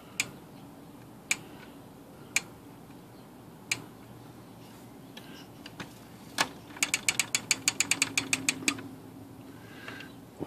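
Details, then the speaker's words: Smith Corona typewriter, no-silencer model: sharp metallic ratchet clicks and a quick rattling run, loud escapement clatter with no silencer. "I sure like that to have a silencer on it."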